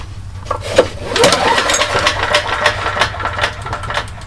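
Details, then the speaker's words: Briggs & Stratton engine on a Troy-Bilt generator, sat for months: recoil pull spins freely with loose clicks and rattles, no firm compression strokes, no catch; no compression, click source unknown. "Paul and no compression and you can hear that click sound not quite sure what it is"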